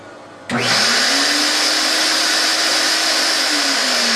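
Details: Fuji HVLP turbine comparison (Mini Mite 4, Super 4, Q4, Q4 about 59 dB at end of 20-foot hose): turbine spins up sharply and settles into a steady, even high whine with airy hiss; smooth, healthy running.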